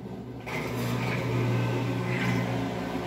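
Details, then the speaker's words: Whirlpool 17 kg top-load washer that fills but stops washing, in automatic test mode while checking the water level part: a steady low electric hum starts abruptly and runs evenly with no knocking or grinding; drain pump running normally. "y no sé si lo escuchen pero encendió la bomba del desagüe"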